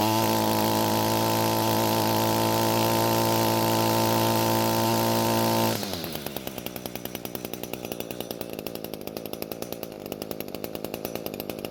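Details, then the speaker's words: Echo two-stroke string trimmer after carburetor needle adjustment: high revs drop to a slow, even idle that keeps running without stalling; low-speed mixture still slightly rich, so the H screw has no effect. "so the engine is now idling and not dying and that means the adjustment worked however there's just a little too much fuel at low speeds so much so that the h screw doesn't have any effect on the engine"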